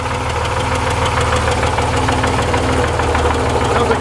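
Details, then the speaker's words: Idling engine with a loose, erratic rattle that varies slightly every crankshaft revolution, like something spinning; judged not a connecting rod or wrist pin; possibly a crankshaft thrust bearing with the crank moving back and forth, unconfirmed. "I hear it it's rattling wrapping away but it's erratic it's not consistent it changes a little bit every revolution of the crank shaft it varies slightly"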